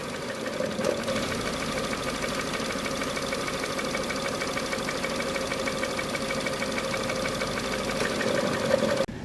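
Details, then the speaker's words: Chevrolet Sonic on petrol and LPG with a repaired AC compressor, at idle. Steady idle with fast, uneven ticking about three per second; vent temperature rises to 15°C, versus 7°C at standard idle, and petrol/LPG tuning is suspected to be needed. "ซึ่งจะเห็นนะคะว่าตอนที่เพื่อนทำงานตกแต่งต๊อกแต๊กแบบนี้นะคะจะไม่ได้ความเย็นอยู่ที่45องศาเมื่อกี้นะคะ"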